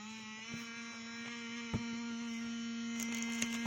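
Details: Used Lenovo ThinkPad T450, fine for a month, randomly makes a steady, fairly loud electrical buzz with faint clicks; owner unsure whether fan noise or coil whine.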